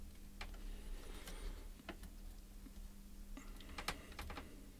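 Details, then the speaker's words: Nespresso Aeroccino reassembled after a blown heating element repair: a few crisp clicks over a faint hum as the power button is pressed; switch works normally, and the unit then heats milk. "And you can hear it, if you just press it, you can hear it clicking, so that's working."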